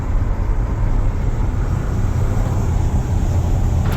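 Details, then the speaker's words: 1995 Ford F-150 4x4 V8, warm with dash gauge normal: idles a little fast and steady, likely from a failing ECM coolant temperature sensor reading cold. "Um if you notice it's it's idling a little high. That is caused because the engine temperature sensor."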